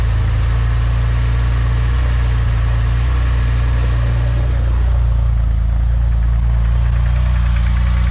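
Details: Porsche 996 Turbo, biturbo flat-six (Mezger) after fixing an unstable idle caused by an air-intake leak, car on stands: deep, even idle with a steady low rumble, no hunting or misses; normal idle.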